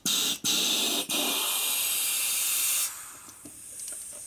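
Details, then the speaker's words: 1942 Harley-Davidson WLC/WLA 45ci wheel during chassis reassembly, stem centered; steady air hiss with short breaks then faint crackles as tube unwraps: normal inner tube inflation. "You can listen to it as it blows up too. If it's, you can hear the tube unwrapping."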